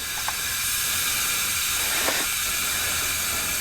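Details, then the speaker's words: BMW 328i xDrive N20 after timing chain failure, leakdown test at 100 PSI via spark plug hole: steady hiss of shop air with no extra leak rush, cylinder sealing, no bent valves. "if any of them were bent in that cylinder they wouldn't be sealed up we would have heard air pushing out all over"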